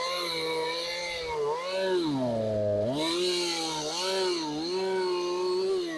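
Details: Craftsman chainsaw that sat outside for years, revived and running after cold start and low-speed idle adjustment: revs up and drops back cleanly several times, crisp responsive note, no bogging or stumble, then holds a steady idle; normal running.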